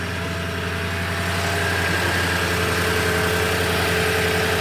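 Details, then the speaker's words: Toyota 5.7L (Tundra/Sequoia/Land Cruiser 200) idling after starter replacement, heat shield bolted with top bolt left off; listened from interior, outside and underneath: smooth, steady low hum with no rattle or vibration, totally normal idle. "okay from interior nothing at all that sounds totally normal the outside here totally normal"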